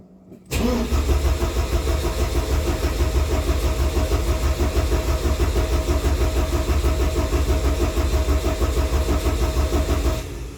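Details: 1987 Porsche 944, not started in about 3 years, in neutral with clutch in: starter cranks steadily at about three beats a second for ten seconds but never fires; no spark suspected.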